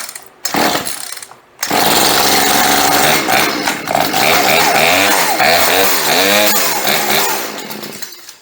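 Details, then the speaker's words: Two-stroke chainsaw sat 4–5 years, new fuel lines, first start on choke: catches briefly, revs surge rough then die; sputtering on choke, carburetor may need tuning. "Yeah, she's pretty close. Let's choke her down just a little. Oh, we hit the switch. As soon as you hear that first rumble, go ahead and turn the choke off and try it with nothing, without the choke."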